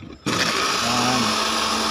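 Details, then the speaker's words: Dowell blender after repair, jar seated to press the on/off contact switch: motor snaps on and spins up to a steady high-pitched whir with no grinding or stutter. Blender running fine. "natin pag pinatong Ayan gumag na kasi ito ano yung contact niya"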